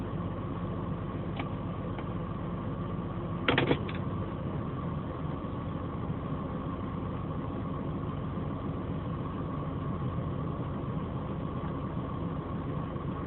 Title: BMW 528i Engine Noise After A Fender Bender